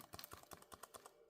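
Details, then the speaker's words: Keyboard from a crushed Dell Latitude CPi Pentium II laptop built for Windows 98, during teardown: crisp, irregular light clicks about six to eight a second as keys are pressed; keys snap back with healthy tactile feedback. "these buttons were desirable sounds back in the day it's kind of a shame this is all mashed"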